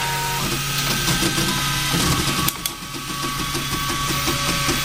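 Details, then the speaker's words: Riki200 v3 experimental 3D printer on its first print at 180 mm/s with 4000 mm/s² acceleration: fast stepper whirring with chirps at direction changes, shaking the table; the print later stopped because the NEMA17 was pushed beyond its rated speed. "It's a very cute noise. Okay, that's first layer, and that's now on to top layers."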